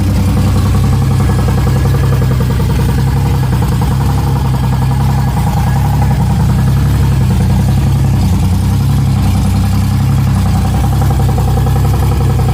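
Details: 1994 Chevrolet Cavalier, built 3400 V6 with ported 3500 heads, Wottech strip cam, Obx headers, first start: loud deep steady idle with even exhaust pulses, no misfire or knock; oil pressure gauge reads nothing, owner suspects gauge.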